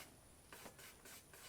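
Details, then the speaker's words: 2008 Ford F-450 with a swapped-in 5.9L Cummins from a 2006 Dodge Ram 2500, larger Cummins fan test-fitted with the radiator and a fabricated shroud, turned slowly: dry scraping rasps in short bursts, only some blades catching. Suspected contact at the shroud edge. "It's really, really hard to see in there, but what is it touching? Did you hear it? The shroud, I think."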